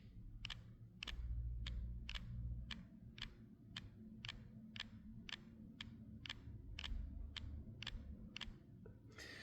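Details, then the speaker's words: Samsung Galaxy S24 Ultra phone camera: sharp, regular ticking clicks about four a second, a faulty optical image stabiliser (OIS) rattle picked up strongly by the phone's internal mics; fixed after fitting a replacement camera part. "so what you listen for now is a rattling sound uh which we picked up by the phone and it is an issue with the phone"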